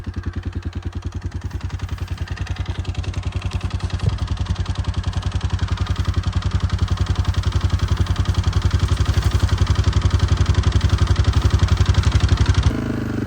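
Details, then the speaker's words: Harvest machine idling with a fast, even clatter about four beats per second on every firing; loose rattle at idle, source not found. "Hey, you hear that rattle at an idle? Doesn't sound very good."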